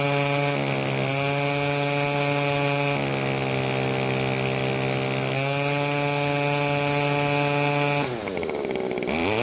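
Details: Stihl two-stroke string trimmer after carburetor tuning (L screw about half turn clockwise, H screw quarter turn counterclockwise, limiters removed): buzzy, steady pitch with smooth blips up and back down, clean and even; running properly.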